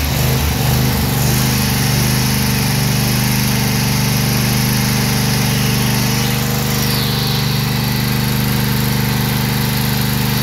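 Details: Briggs & Stratton Vanguard 16 hp V-twin at high RPM surging: runs fast but the pitch dips and recovers instead of holding steady.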